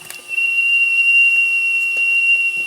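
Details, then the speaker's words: RETROL SE-02 horizontal mill model steam engine with generator, alcohol-fired boiler heating up: a thin, steady high whistle sounds untouched while water drips from the condensate valves, meaning the whistle valve is leaking steam. "now that's wasting steam you know I don't see much here yet"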